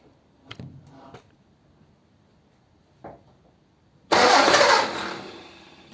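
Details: Ford 100E project car with non-charging issue, after refuelling: quiet clicks then the engine catches cleanly at about four seconds and settles into a steady, even run — normal start.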